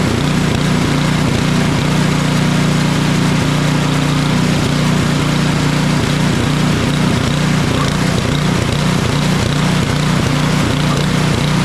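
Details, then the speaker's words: Craftsman 28-inch snow blower with Briggs & Stratton 11.5 hp (1150) snow series engine: loud uneven running with a regular stumble about three times a second with choke off, runs better at half choke; surges, dies in deep snow; carburetor or fuel fault. "so what it seemed like here is that we've got a carburetor issue or fuel related issue it's not running well with the choke all the way off with a choke about half it runs pretty well"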